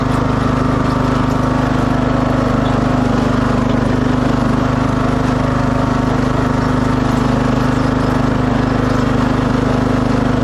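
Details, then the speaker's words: 2006 Craftsman LT3000 after oil change, new idler and charged battery, started; at first still slightly noisy then much better; steady single-cylinder drone under load, even beat, no rattle or squeal. "see if it starts up still kind of noisy oh no that's pretty good yeah that's a lot better"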